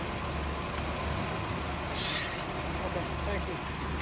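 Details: Engine idling low, then a short sharp hiss of air at the power booster as the brake pedal is pressed: a failing brake booster with a large vacuum leak, causing rough idle, check engine light and hard pedal risk.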